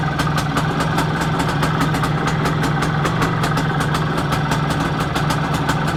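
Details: Planeta 4 two-stroke motorcycle engine, all Soviet-era parts, after repair: quick, even popping of about five beats a second with a steady low drone, a clean, regular idle, as it should run.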